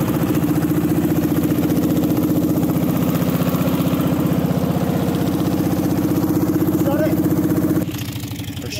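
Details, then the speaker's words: Racing lawn mower built for about 30 mph, first ride: loud steady engine drone with fast even pulse, then sudden drop near end as worn drive belt, already due for replacement, jumps off. "it down the belt jumped we're shutting it down oh the belt's off yeah it sounds like the belt came off right"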